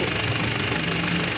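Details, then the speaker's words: Mitsubishi L300 Euro4 diesel with check-engine light and hard shifting, at idle: loud, steady gearbox rattle that stays with the clutch pedal pressed. Mechanic suspects air in the secondary clutch cylinder. "Napansin nyo, nawala yung ingay sa transmission."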